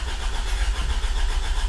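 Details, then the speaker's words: 1996 Honda Civic EK hatchback with swapped B16 engine, manual, first start attempt in neutral: steady starter cranking with even compression pulses, never fires; no fuel pump sound heard, fuel pump not turning on. "yeah it's definitely not firing up but uh I'll try next to to figure out why the fuel pump isn't turning on"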